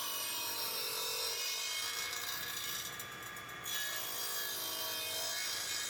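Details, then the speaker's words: Old radial arm saw restored after years idle (capacitor and belt replaced, blade sharpened): bright rasping cut through wood with even saw whine, brief dip mid-cut; normal clean cutting. "but it's run on again that's the main thing and I think it does nice Square Cuts is sore and you can also do some joinery on it too and trenching Cuts as such"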